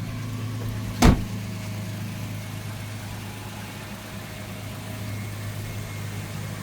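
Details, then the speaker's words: 2012 Toyota Tacoma X-Runner, newly delivered, heard outside while running; low steady hum with an even beat and one sharp click early, a smooth settled idle with nothing mechanical out of place. "And let me take you outside so you can hear what it sounds like now that it's on and it's purring, right?"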